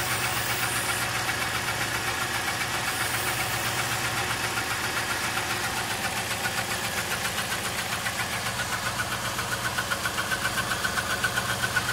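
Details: 1999 Town Car that suddenly began misfiring, codes for cylinders 4–8 misfire and bank 1 and 2 lean: an uneven idle with an irregular sputter of two or three stumbles a second, still sputtering; cause not confirmed.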